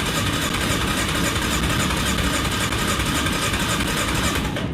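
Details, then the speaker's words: Yamaha Kodiak 450 ATV, fuel on reserve, old gas, previously idled but stumbled on throttle, now won't run; starter churns the engine steadily but it never fires, crank-no-start, spark to be checked next. "now apparently she's not running at all so she's giving me the"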